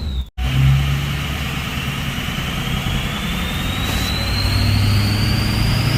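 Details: Ford 6.0 Powerstroke diesel with a bigger stage 1.5 63.5 mm turbo replacing stock: deep rumble with a loud, clean whistle climbing steadily as revs rise. A healthy big turbo spooling freely.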